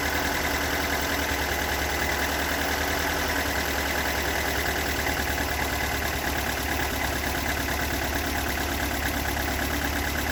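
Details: Toyota AE86 with stock bigport (blue top) 4AGE, unmodified, regularly maintained, about 195,000 km; rough, lumpy idle with fast light tapping knock, recorded during cold-to-warm running from exhaust, cabin and engine bay; source not yet located.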